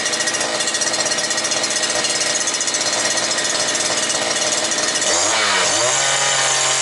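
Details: New two-stroke brush cutter that would not start, now running at about 9400 rpm, speed then raised. High, steady scream with a brief dip and recovery: runs and revs properly.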